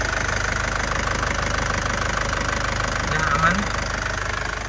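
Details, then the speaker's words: 2007 Isuzu Panther Grand Touring diesel at idle after one-crank start: even diesel clatter, steady ticking beat with no stumbles or misses; engine stable and healthy. "ya masih renyah tidak pincang mesinnya stabil tidak pincang artinya mesinnya sehat ya. Suaranya juga masih enak jadi masih sehat ya."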